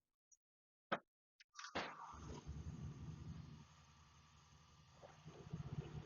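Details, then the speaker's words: 1979 VW Beetle that sat over a decade, after a full fuel system rebuild (pump, injectors, tank, lines, regulator). A few clicks, then a steady, even low rumble with no misses; smooth idle, though the belt slaps slightly. "It seems to be running really well. It's running smoothly."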